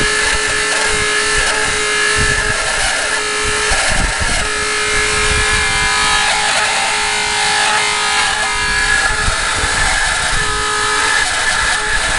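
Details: Walrus TQI 1500 pump: loud, constant hum and whine with a harsh rushing noise underneath that does not change; abnormally loud pump noise, cause unknown.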